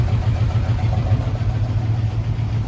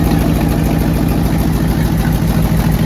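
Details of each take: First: Jeep AMC 327 V8 idling after new exhaust manifold gaskets and flanges. Deep, steady, even burble with no ticking or puffing, purring and quiet. The exhaust leak is fixed, but a separate knock found earlier remains unidentified. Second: AMC 327 V8 in a Jeep idling before repair: loud, raspy chuffing tick over the rumble from a badly leaking exhaust manifold gasket; fixed by cleaning manifolds and installing new gaskets, which then revealed an engine knock.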